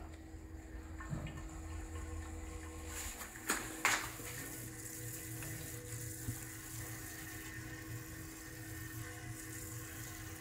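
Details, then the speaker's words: Oil change on a Nissan G37 with an oil extractor, oil run about 3000–4000 miles: quiet, irregular gurgling and slurping through the hose as the pan runs dry and the extractor starts sucking air; sump emptying. "it was starting to empty like you could hear it like sucking and then i shoved the hose down more and i think i'm getting yeah you can hear that see guys the hose is moving that means that it's empty it's getting empty already"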